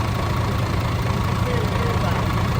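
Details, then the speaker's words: DAF CF85 Euro 6 truck diesel on first start after fixing a top-end knock: worn inlet camshaft and rocker arms replaced, exhaust brake, shells, oil and fuel filters, rocker gasket, tappets adjusted. Steady even idle, no tapping or knocking, faint exhaust hiss; knock gone. "Just so you don't think we're bullshitting, it starts. It sounds alright. Pretty happy with that."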